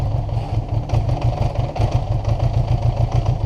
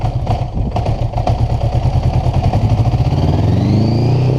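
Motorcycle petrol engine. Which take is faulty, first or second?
first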